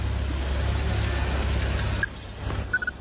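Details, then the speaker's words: BMW with the engine running, brakes applied: a thin high whistle rises and holds during braking; a brake problem. "Ha bunyi macam tu. Ada masalah brek."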